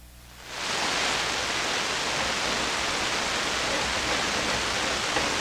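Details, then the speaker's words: SP-600 communications receiver with rebuilt RF deck, on the AM band in single conversion; steady loud hiss as the set warms with no stations, owner suspects a fault in the RF deck since the antenna can't be heard. "Let's go down to the AM band. It's single conversion. Wow, that's pretty noisy."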